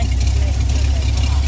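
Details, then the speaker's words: 1983 Ford F250 with a 351 Windsor V8, run right after an oil change with a Motorcraft FL-1A filter: an earlier odd noise the owner suspects was oil not yet circulated is gone, leaving a steady, deep, even idle with no knocking or ticking; a normal idle. "Maybe the oil hadn't circulated. I don't know. It's weird. Sounds fine now."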